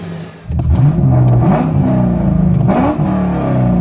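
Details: C5 Corvette V8 with a newly installed Callaway Honker intake, warmed to at least 176° and restarted; blips from idle climb and fall cleanly with throaty intake roar, pulling smoothly, normal healthy revving.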